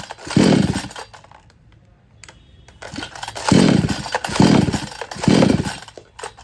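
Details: Kisan Kraft / R Yantra 58cc two-stroke chainsaw on premixed petrol (20 ml two-stroke oil per 500 ml): catches and surges in short bursts, then sags and nearly dies each time the throttle opens; won't pick up. Weak spark-plug current suspected, unconfirmed.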